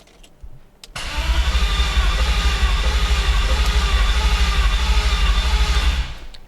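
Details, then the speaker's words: BMW E39 540i Touring V8, 180,000 miles, low fuel, headers only with no exhaust, after another shop removed the transmission: steady five-second cranking that never fires; no start traced to crank sensor and flex plate. "yep does not start there's no exhaust hooked up currently it's just headers"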